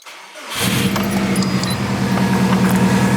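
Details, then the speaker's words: Subaru STI after four months sitting in winter, fresh oil change, in neutral: brief crank, then clean catch and steady even idle with no knocks or ticks; oil and fuel pressure good, slightly warm. "and let's just check our oil pressure oil pressure is good fuel pressure is good and we actually have a little bit of warmth"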